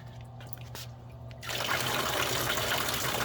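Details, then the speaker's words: DIY swamp cooler start-up: the pump kicks in, then a steady splashing trickle of water flows evenly from the overflow line, which can be knotted or fitted with an irrigation tip to restrict flow. The cooler runs normally. "so you could put a knot in there, pull it tight a little bit, and it will restrict some of the water coming out there. We'll go ahead and fire it up to show you that the water will be coming out."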